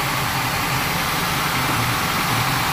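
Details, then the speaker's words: Warm-up idle of an engine being diagnosed for rough running with a vacuum gauge: a dull, uneven low beat with occasional stumbles. Manifold vacuum reads 16 inHg at idle and improves as the engine warms. A misfire from a dead cylinder. "so we're trying to figure out why is this engine running rough"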